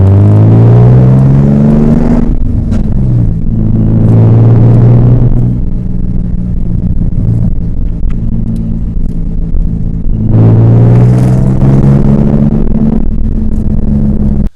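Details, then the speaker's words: 2003 Nissan 350Z, 3.5L naturally aspirated V6, rear-wheel drive, manual transmission, on a drive: engine revving up and down through the gears with a rough grind going into third. Worn third-gear synchro. "So I don't know if that little drive, you heard the grinding of third gear. That's the infamous synchro grind."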